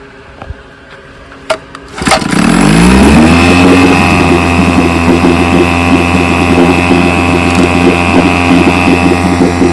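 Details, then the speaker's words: 1957 Johnson 5.5 HP outboard, after conversion from a leaking dual-line pressurized tank to a single-line tank with a fuel pump fed by carb manifold pulse: starts at once and rises to a steady, crisp two-stroke buzz with no stumbling. Runs great, normal running. "So I've been running her. She runs great."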